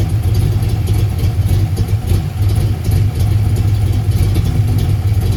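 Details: 1990 Ford Mustang LX notchback 5.0 with F-cam, 30lb injectors, no O2 sensors, idle adjusted, plugs not checked; deep, fairly steady V8 idle with slight unevenness, much better than at first start, though finicky when cold.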